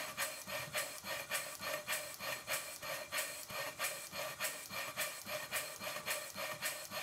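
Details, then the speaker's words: Worn 2-inch scale Fowler steam traction engine running after repacking the piston rod gland, adjusting the small end bearing and shimming the crosshead slipper; crisp, even exhaust chuffs at a steady beat of roughly a hundred-plus a minute, no knocks or clanks. Much improved since arrival. "this is what the engine sounded like when it first arrived in the workshop [Music] and now it sounds like this i'm going to run it for a while to make sure nothing falls off"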